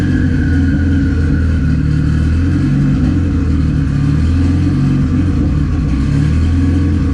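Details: Turbo D16Y8 Honda Civic idling too high with a steady raised drone. The owner says a popped line on the IACV is causing the high idle and it sounds like a vacuum leak.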